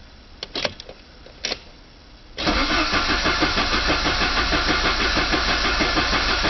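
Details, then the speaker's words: 1985 Saab 900 turbo cranked without starting after removing a steel piece from the oil pump and pressure relief valve, pump primed with grease: even cranking about three beats a second while oil pressure builds. "I'm going to crank it over first until I get pressure anyways see what happens that's not very good for it hopefully I get something soon"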